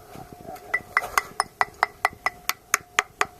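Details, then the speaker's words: Seawall inspection at Hendricks Isle, Fort Lauderdale: sharp taps ring hollow, revealing hollow mortar behind a poor crack repair on the cap where concrete was only smudged over without deepening the cracks; mortar roughly 70% good. "there are areas that you can hear Holiness behind let's see what repair I've done to the cap here some cracks areas there not really nobody really penetrated and uh deepened it in order to seal it they just got a smudge concrete on it not the way to do it"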